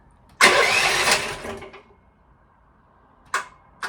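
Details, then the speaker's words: Chinese EG360 skid steer with about 160 hours: after one brief start-up burst, two sharp single clicks about half a second apart with no cranking; starter clicks without turning over, cause still undiagnosed. "See, just clicks like that. So, I have to figure that out."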